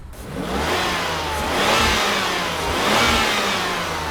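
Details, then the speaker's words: BMW E32 750iL V12 on first road drive in six to seven years after general service: smooth, even engine note rising and easing under throttle, no knocks or rattles; not overheating, sounds healthy, though running rich with some black smoke. "it's working well the engine is not overheating it sounds good"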